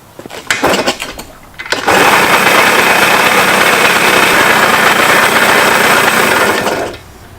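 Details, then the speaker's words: Junkyard-build Yamaha PW80 two-stroke pit bike, new carb, first start for break-in: harsh loud clattering rattle holding revs; owner hopes the noise is the transmission, not the engine, and plans proper transmission oil. "sounds so horrible I think I'm gonna change the oil on it and put the the proper stuff and just hoping that that noise is the trans and not the engine"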